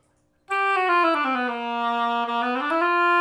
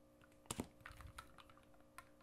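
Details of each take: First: Oboe after adjustment, with the B-flat adjusting screw tightened slightly, tested on the reed in the upper register. A clean, stable tone slides smoothly between notes with no buzzing, leaks or key noise. The instrument plays well. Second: Oboe F resonance side key tapped while fingering D: sharp little clicks show the key adjustment is too loose and not sealing; tightening it makes the clicking stop.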